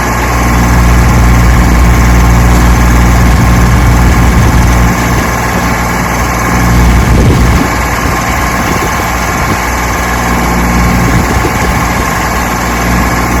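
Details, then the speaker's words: 1968 Johnson 6 HP two-stroke outboard after mechanical restoration, fresh oil and pressure test: steady, even buzz with smooth low drone, no misses or knocks; runs like a charm. "put the oil in it and she runs like the charm and a barrel"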